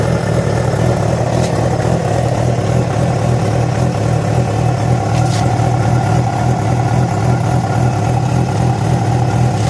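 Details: Yamaha FZ6 engine running with a low, uneven rumble and a faint irregular mechanical note over the exhaust; began after riding about 70 km on two cylinders due to a failed ignition coil connector; cause not yet clear.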